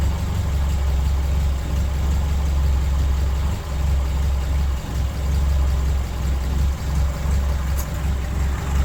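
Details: 1983 Toyota Tercel wagon 3A engine after head gasket replacement and exhaust gasket fitted; deep, even idle rumble with no misses, ticks or knocks, normal idle.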